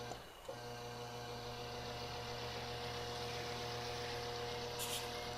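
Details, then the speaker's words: Box fan with a buzzy motor running on a Bestek 1000W power inverter with a poor modified-sine output waveform: a steady fan whir with a harsh electrical buzz on top. The motor buzz comes from the modified sine wave power. "Now, I did mention that the output waveform isn't very good, so let's take a look at this box fan. I'm using this box fan for this because it has a buzzy motor, and you can hear it buzz."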